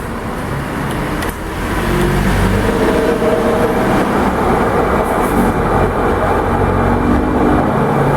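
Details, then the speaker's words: Consul Floral 7 kg washing machine on spin cycle, in the shop for a general overhaul with seal and bearing replacement: steady, loud rumbling roar with a low drone that begins at a certain spin speed, from a worn drum bearing. "máquina tá é como ela é seletor você pode girando chegou num ponto dela ela vai iniciar esse som em si é rolamento"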